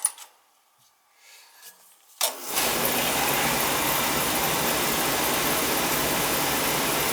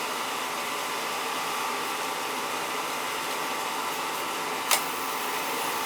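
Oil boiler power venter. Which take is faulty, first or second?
second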